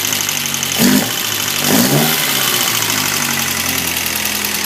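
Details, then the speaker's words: Alfa Romeo Twin Spark engine after valve adjustment, intake 0.010 in and exhaust 0.012 in, new spark plugs, engine new with one heat cycle; idle with two blips, light fast metallic clatter, much better than before; slight valvetrain clatter. "it's still kind of a funky sound still a little clattery but uh sounds a hell of a lot better than what it did before"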